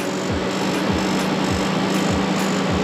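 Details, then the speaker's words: BMW E36 TDS inline-six diesel, starter wired directly, wire burning: starter drones as the engine turns over slowly, about one compression every 0.6 s, never catching. Same problem as the old starter; owner suspects compression. "le démarreur, il marche quand même. Ouais, mais au ralenti. On ralentit. Il tourne pas comme il devrait tourner."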